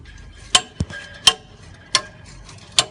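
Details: Citroen Relay van under harsh pull-off: sharp metallic knocks roughly every three-quarters of a second; the DPF/catalytic converter appears cracked at the bracket point.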